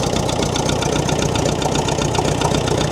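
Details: David Brown diesel tractor, just started after sitting 10 years on low battery, oil pressure present: steady idle with clattery tick two or three times a second, likely top-end noise after long storage, unconfirmed.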